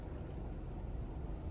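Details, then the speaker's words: Honda City, idling with clutch pedal pressed: thin steady high squeal over low idle rumble; clutch release bearing running without grease, burnt, with smoke and burnt smell from gearbox and a heavy pedal; clutch kit being replaced. "ഒരു ചീവി കരയുന്ന sound പോലെ key key key എന്ന് പറഞ്ഞിട്ടൊരു സൗണ്ടാണ് വന്നുകൊണ്ടിരിക്കുന്നത്. എന്നുവെച്ചാൽ നമ്മൾ ആ ബെയറിംഗ് കയറി മറ്റേ പ്രഷർ പ്ലേറ്റിൽ മുട്ടുന്ന സമയത്താണ് ആ സൗണ്ട് വരുന്നത്."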